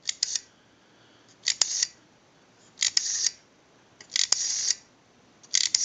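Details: AE candlestick telephone rotary dial, plugged into an analyzer that it seized: crisp clicking bursts about every 1.5 seconds as each digit runs down, with the numbers registering. It is pulsing cleanly.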